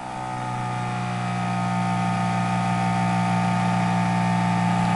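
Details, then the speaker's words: Flux gate generator test rig with a PWM-driven DC motor on a nearly dead large car battery, iron blades removed from under the rotor: a smooth hum that rises, then holds an even speed. Normal free-running motor with no load. "as you can see the spinning now far better of course there's nothing under there now"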